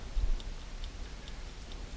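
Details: Serviced dash clock from a 1969-71 Lincoln Continental Mark III, bench-running on a 2 amp fuse: soft, even ticks about twice a second with no stumbles. The clock runs normally.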